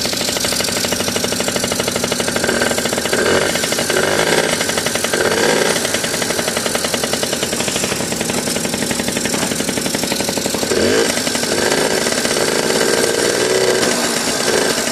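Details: 1981 Yamaha Champ 50cc two-stroke scooter with new PW50 top end rebuild, first start on premix; fast, even, crisp firing held at steady high idle with no misses, running normally.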